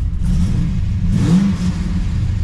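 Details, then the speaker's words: Cammed, rebuilt LS1 SS Commodore before tuning: quick rev flares, then choppy cam idle around 650–700 rpm sinks low and nearly stalls; too-low, poor idle control that the tune should fix. "Certainly revs nice. And see, it drops all the way down and nearly stalls."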